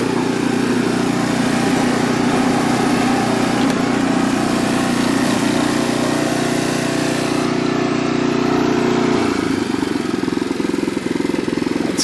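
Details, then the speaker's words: Renovated Troy-Bilt Horse tiller on test till, low gear, tines set deep, hitting rocks: single-cylinder engine pulls steadily with slight dip near end, holds speed; normal running under load, slight belt squeal heard once. "say that works working pretty good."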